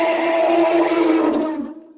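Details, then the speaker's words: Fedders 5,000 BTU window AC, model A1Q05F2C, likely early 2000s, stored long in a barn. On startup at low fan a whining squeal rides over the fan, then fades: stiff, dry fan motor bearings that badly need oiling. "Oh my gosh. That's definitely got bad bearings. Oh yeah. That's definitely got bad bearings. Those bearings are really stiff."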